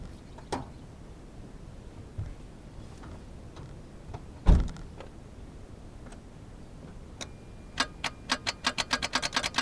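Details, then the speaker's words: Geo Metro won't crank on a warm 65°F day, jumped from weak battery packs: only faint clicks at the key, then a quick run of light ticks, no cranking; owner fears a bad starter, cause unknown. "it's doing absolutely nothing and the key barely even clicks that power"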